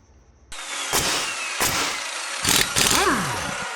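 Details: 2001 Sea-Doo GS after replacing the burned second-from-bottom fuse by the computer that caused no beeps and no start: after a short silence the engine catches with a few surges, then settles to a steady idle; normal start.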